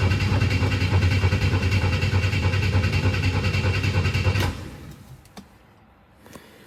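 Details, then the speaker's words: 1962 Chevy II that ran out of fuel and then stumbled and died, new ignition coil fitted with good resistances: the starter cranks steadily, about 200 beats per minute for four seconds, and never fires even with ether. The new fuel pump proved weak. "no fire come on didn't even like The Ether we're gonna see if we have a fuel supply problem"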